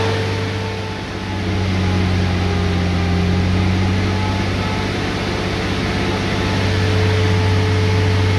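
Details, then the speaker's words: Ram 6.7L Cummins diesel at idle with coolant at 143°F, fan clutch locked up all the time: loud steady whooshing fan roar like an electric fan or AC-on, fan spinning about 1,000 rpm, faster than engine, swelling as revs rise. "I don't know if you can pick it up, but I mean, obviously at idle you can hear that fan. Sounds a lot like an electric fan on other engines when they come on."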